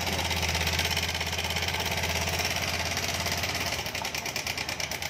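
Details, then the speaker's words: 2020 Honda Beat Street scooter, about six months old, at idle: a fast, busy metallic rattle pulses over the idle from the left side at the cam chain tensioner. The connecting rod was checked and found fine; the worn timing chain tensioner is suspected. "Ini benar-benar buruk, kan? Suaranya ada di sisi ini, di sebelah kiri. Itu ada di sisi kiri. Pada bagian penegang."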